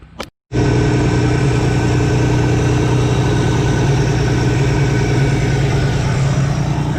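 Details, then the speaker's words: 1985 Chevy S-10 after new valve cover gaskets and a new distributor O-ring: catches into a steady, even low idle with no knocks or misses; no more oil leaking after 15-20 minutes. Normal idle. "it's been running for a good 15-20 minutes i don't see any more oil so i think we got it finally"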